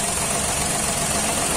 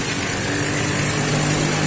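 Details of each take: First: 2013 Daihatsu Xenia 1000 with DTC P0303 (cylinder 3 misfire): engine suddenly runs rough, check engine light on, power lost, engine shaking; uneven stumbling idle. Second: Daihatsu Xenia 1000 (2013) that had been limping with misfire code P0303; engine now idles smooth and even on all cylinders, no stumble, though the check-engine code still shows: normal idle.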